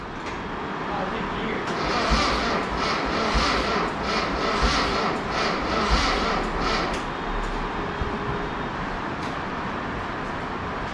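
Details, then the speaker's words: Mazda Miata project car on a rainy day: slow, labored cranking about one heavy turn per second, never catching; owner forgot to bring the battery, so the starter is starved of battery power. "why is it crank so slow oh i forgot the battery by the way forgot the battery"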